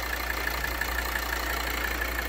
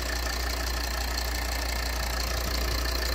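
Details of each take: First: 2013 Volvo XC60 2.4D (D5244T10) diesel at idle: light, regular tapping about six times a second as vacuum pulsation from a leaking vacuum pump check valve vibrates the turbo control actuator flap. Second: Volvo XC60 2.4D (D5244T10) diesel after repair of the vacuum control valve whose membrane had burst, causing knocking and pulsing: smooth, steady idle with even low rumble, no rhythmic knock or pulsing; normal idle.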